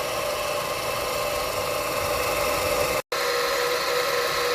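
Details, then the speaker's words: Car after driving through flood water, engine idling: steady fine whine and hum from the noisy alternator; charging system reads just under 13 V instead of about 14.2 V, alternator has failed. "all right so a noisy alternator usually equates to a bad alternator"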